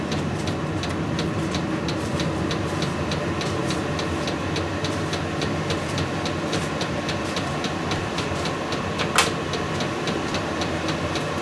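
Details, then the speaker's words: VEVOR 8kW diesel heater after cleaning out gum from burning waste motor oil (had E08 error): steady even roar with light regular fuel pump tick about three a second, fan running, exhaust warming; burning cleanly, normal running. "fan is running good and this uh metal part is warming up so that telling me I got some fire inside the exhaust"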